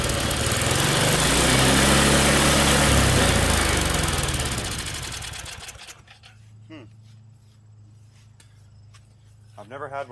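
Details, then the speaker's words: Tecumseh snowblower engine after a carb clean: screams at high, uncontrolled revs then dies away; governor not working because its linkage was put back in the wrong carburetor hole. "one where the governor doesn't work it's interesting I mean unless I put it back in the wrong hole"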